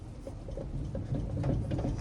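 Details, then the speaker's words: Dump trailer wheel rocked by hand: soft dull clunks about three times a second. The wheel bearings are loose and have not been serviced since the trailer was new; the hubs are not too hot. "you hear that that's that's loose bearings so they have not been serviced since price since the trailer is new"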